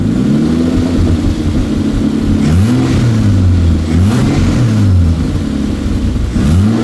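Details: Toyota 2JZ inline-six, newly wired into a car after months of work and freshly started, recorded with multiple microphones; revs rise and fall smoothly several times with a loud, raw open-pipe note and no knocks or misfires, running normally.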